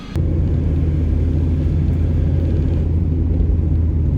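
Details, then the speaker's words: Mazda Miata: steady rumble with a breathy whoosh while coasting downhill on engine braking, recurring at the same road spot with a check engine light and also when turning; owner suspects a failing belt-system pulley bearing, unconfirmed. "I did notice there was still some odd like little rattles or whooshing sounds that are not fully gone away"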